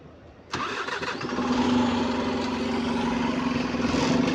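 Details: London bus SLN 36624 on route 225, engine catching and settling into a steady drone with an odd constant hum on top; abnormal noise, cause not evident.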